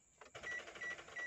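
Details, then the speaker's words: Daihatsu Sigra (Indonesian car) in neutral, ignition on and starter turned with a weak, flat battery: rapid evenly spaced clicking with no cranking, starter solenoid chattering; battery to be checked and the car jump-started. "jadi dia bunyi cetak cetek kita pastikan kita cek dulu kondisi up akhirnya"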